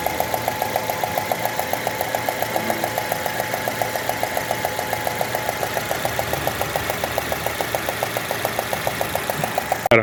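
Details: 2016 Citroën C3 1.5: at idle a sharp, even tick of about 3.5 per second rides over the engine. Plug inspection found the fourth cylinder full of debris.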